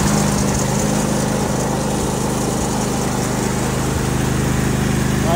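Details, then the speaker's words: Riding lawn mower after slipped drive belt fixed (wouldn't move with pedal pressed): small engine putters evenly at steady speed, no knocks, slips or squeals; running normally. "all right I think we're back up and running so that belt was the issue"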